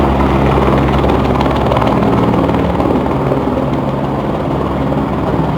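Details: São Paulo police helicopter flying low near homes, 24/06/2020, so loud the onlooker feared it would fall. Loud, steady rotor thumping with a harsh droning roar over it sounds abnormal; cause unknown.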